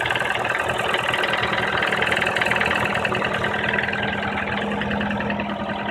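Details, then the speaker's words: Nissan Teana J31 QR20DE 2.0 petrol, 180k mileage, 5W-40 oil, cold idle: a dull knock of about two beats a second that grows and persists until warm, around 1500 rpm; chain, tensioner and valve clearances checked, cause unknown. "на холодную появляется характерный стук и продлевается вплоть до момента прогрева двигателя"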